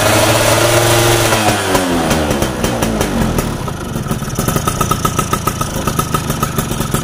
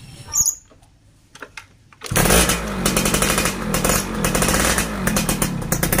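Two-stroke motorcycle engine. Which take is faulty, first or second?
second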